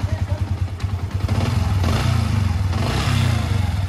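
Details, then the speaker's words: Yamaha Vixion after water pump repair, which fixed a squeaky mouse-like noise at idle that vanished when revved: even, steady low putter with regular firing beat and no squeal; engine now runs normally. "di sini sudah Kalian Dengar ya suaranya itu sudah hilang ya Di ya berarti sudah paten Ya sudah mantap dan penyelesaian motor ini ada di area water pump mantap"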